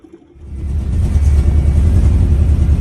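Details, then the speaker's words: Car with generator light problem, idling after the charging-system fix: steady low, even rumble with no knocks or squeal; no more red generator light at idle. "And that's what we were looking for. No more red light at idle."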